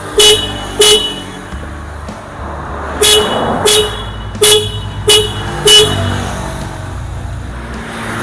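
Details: Yamaha RX King with Denso twin car horns from an Avanza, wired through an added relay, ignition on: seven loud, clear two-tone honks in short bursts, each full strength; horn circuit works properly.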